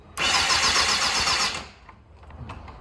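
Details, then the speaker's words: Yamaha FZR400 project bike, first start attempt, fresh battery, fuel from auxiliary tank: engine catches with a rough, busy roar for just over a second, then dies to near silence and won't keep running. "false start. Oh, come on, you're so close. Come on!"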